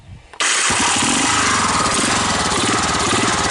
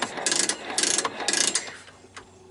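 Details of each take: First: 1985 Honda ATC 250SX Astro with replacement carburetor after wiring repair: catches at once and settles into an even quick single-cylinder beat with no misses; started easily, runs healthy, no smoke. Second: 1985 Honda ATC 250SX Astro, kickstarter worked: bursts of fast ratcheting clicks before it catches; kickstarter slipping, comes and goes, cause not confirmed.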